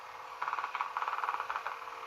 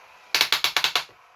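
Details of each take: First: Homedics massage seat cushion opened up, the good roller unit running: steady mid-pitched motor whir with light regular pulsing, no skipping or grinding; normal operation. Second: Homedics massage seat cushion, faulty roller unit opened up and running: quick burst of about seven sharp clicks, roughly ten a second, then quiet; one rotating roller skips, likely slipping gear teeth.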